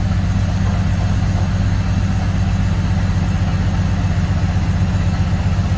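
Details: BMW 330i on a cold start; a low, deep idle with an uneven pulse about four times a second that never settles; rough idle.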